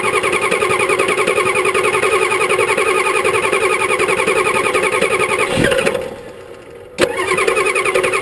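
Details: 1985 Ford 6.9L IH diesel after sitting about five months, glow plugs disabled (failed controller), possibly low compression: steady cranking about three and a half turns a second for five seconds without firing; hard start.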